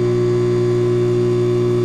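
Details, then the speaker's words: Philco PMS24 microwave, tested with a cup of water inside: a loud, harsh, steady electrical buzz-hum far heavier than normal, and it does not heat water or food. "barulho muito alto tá vendo fez um barulho muito alto e não aquece os alimentos"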